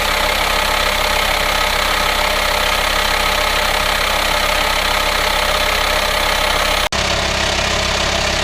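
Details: VW Transporter T5 2.5 diesel 6-speed LWB campervan, about 1500 miles since purchase, idling: steady loud hiss over diesel clatter from the engine bay, sounds like a vacuum leak; engine has no aux belt-driven pulleys; source not yet confirmed.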